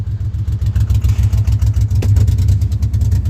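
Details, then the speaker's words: Chevy Impala daily driver suddenly running on only some of its six cylinders, limped to work while losing brakes; heavy, lumpy, uneven diesel-like chugging, owner wonders about rod knock. Misfire, cause unconfirmed. "Why is he only running on threeing cylinders? Oh, me. And I'm losing brakes. Holy [ __ ] I don't know how many cylinders he's running on, but I can definitely tell you it's not all six."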